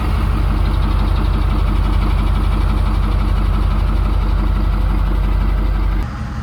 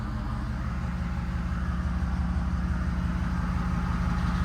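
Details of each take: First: 6.7 Powerstroke diesel, fitted with a new 1000hp built 6R140 transmission, fires right off and settles into an even steady idle clatter; a brief tick was noticed; healthy start and idle. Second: 6.7 Powerstroke diesel at first start after a 1000hp built 6R140 transmission install: a regular light tick about three per second over a steady idle that then stopped; source not identified.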